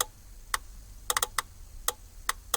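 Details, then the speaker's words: 2003-2007 Chevrolet Express/GMC Savana, brown/white negative parking light trigger wire at headlight switch grounded with test light: crisp sharp clicks at uneven pace; parking light relay switching normally. "can hear the parking light relay clicking."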